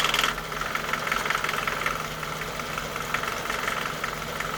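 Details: Nissan Micra K11 1.3 CG13DE petrol engine, warm at operating temperature, light quick metallic tick only at idle; freshly serviced with 10W40 oil at correct level, tick disappears with a few revs; source not pinned down.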